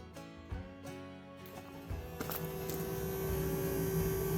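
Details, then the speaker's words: M35A2 deuce-and-a-half diesel truck (13,000 lb) with the key power on: a steady low electric hum builds and holds one even pitch under faint clatter, the fuel pickup pump that always runs while power is on; normal fuel pump hum. "you hear that that is your uh pickup it is always always on when when you got the power running that thing is running now"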